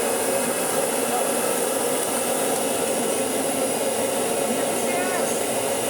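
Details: Kirby Sentria 2 vacuum after full strip-down, cleaning and restoration, switched on for carpet shampooing with 2 caps Kirby shampoo in 3/4 tank: steady high-pitched motor rush, even and smooth, no rattles or surges; normal running.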